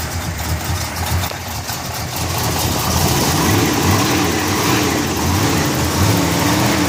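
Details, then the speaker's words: Restored 1969 Pontiac GTO V8, 4-speed, on pre-purchase inspection, hot day, cold start, oil clean and full; steady even rumble firming up after a few seconds, no knock, tick or misfire; engine sounds pretty tight; normal idle. "drive engine sounds pretty tight"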